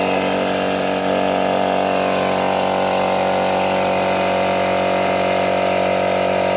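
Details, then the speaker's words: Used portable direct-drive air compressor, cover missing, tap closed to test auto cut-off: steady dense pumping hum building pressure, no knocking or stalling; normal compressor running. "Nah di sini sudah terlihat di angka 8 bar sudah otomatis mati artinya otomatisnya ini bisa bekerja atau masih normal walaupun kondisinya nggak ada covernya ya"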